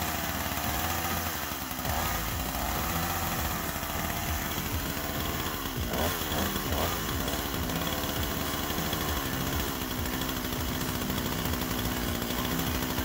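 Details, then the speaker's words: Gifted chainsaw that would not start, after teardown, cleaning, new ignition coil, carb kit, spark plug and a replaced pickup coil: a little rough to start, then a steady, high two-stroke buzz at a fairly even speed; running again, carb adjustment next. "so it eventually started up there it was a little rough to start at first but considering it's been stripped down to pieces and put back together at lease it's still running better than it was before"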